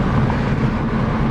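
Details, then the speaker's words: Supercharged Mini with a slight misfire, driven with something switched off to hear the supercharger: strong low engine roar under acceleration with a faint steady whine on top. It is quick and zippy, a healthy supercharger whine. "I'm gonna turn this off so we can hear the supercharger. Whoa. That's great. Right? It's quick too. Yeah, it's zippy. I love supercharger line."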